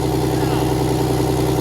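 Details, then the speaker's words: 6V92 Detroit Diesel bus engine idling seconds after a start that was missing on a couple of cylinders: steady even clatter, now all cylinders firing and running normally. "Let's try it again now. Now all of them are running. Normal. That's normal."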